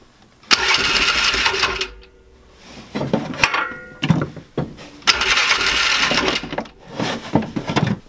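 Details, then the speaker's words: 2005 Polaris Ranger 500 UTV that wouldn't start, possibly low compression: repeated bursts of fast starter cranking with brief coughs that never catch; cranks but won't fire, seemingly fuel-related. "I can't really hear it, but we're gonna see if it'll fire on this."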